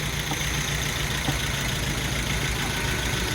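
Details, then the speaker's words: Hemi 5.7 V8 with MDS lifters, first start after rebuild, run briefly without coolant: even idle with a steady low rumble and light valvetrain whir and no lifter ticking; runs healthy. "runs good sounds good and this is trying to let it settle down a little bit"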